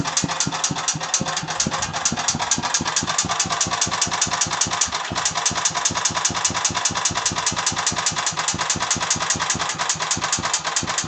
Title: Стук в двигателе мотоблока Агрос